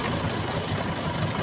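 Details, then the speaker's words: Four-cylinder engine idling during a plug-wire pull test, cylinders three and four each disconnected in turn: low, lumpy idle with uneven shaking beat, vibration rising each time, showing each plug works; one cylinder dropped. "Cek silinder nomor tiga. Getarannya bertambah, kemudian kita masukkan segera, ya. Dan yang keempat kita cek. Tuh, ini juga bertambah getarannya."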